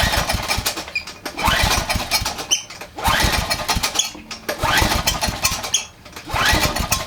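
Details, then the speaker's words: Generac 3000 W generator with Enduro overhead-valve engine, bought as a mechanic's special with a broken tank spigot: repeated start attempts, each sputtering almost to a catch then dying; owner suspects the governor is set up wrong, maybe a missing spring. "you hear that all right I'm not crazy almost like the governor is set up the wrong way"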